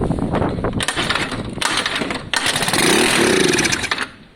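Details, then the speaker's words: Lexmoto FMX 125cc motorcycle with fresh fuel: the engine catches in ragged bursts on starting spray, then fades and dies. The carburettor isn't delivering fuel. Fix planned: inline fuel filter plus carb removal and clean. "See? So that was running purely on the spray. The carb's not actually doing what it's meant to be doing."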